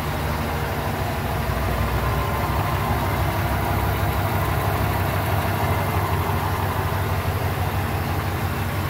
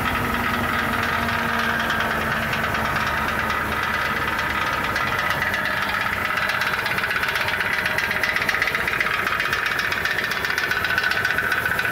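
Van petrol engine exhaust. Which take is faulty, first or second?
second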